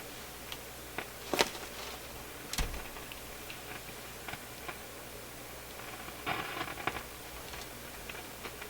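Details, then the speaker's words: Nordmende console tube radio: scattered sharp pops and crackles over faint hiss; faulty pushbutton switch, cleaner did not cure it. "Oh, it's this crazy button, which, oh, with a little bit of cleaner, and as you can see, no luck on that. So this is really the problem here that's got to be dealt with."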